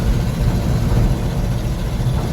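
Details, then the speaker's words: 1974 Ford bumpside 1-ton dump truck, FE 360 with a rebuilt Motorcraft 2-barrel and idle and timing reset, climbing a big hill in third at about 2000 rpm and 3/4 throttle: deep, even V8 rumble, no misses, all eight firing. "No missing. She's hitting on all 8. It's doing exactly what it should be doing."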